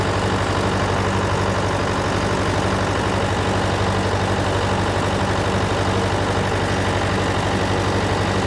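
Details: John Deere 401C diesel at steady idle, with a cracked block and suspected liner O-ring leaks. Lopsided beat about three times a second. A temperature gauge shows cylinder 3 dead while 4 and the others are hot, so the dead cylinder is traced to a faulty injector.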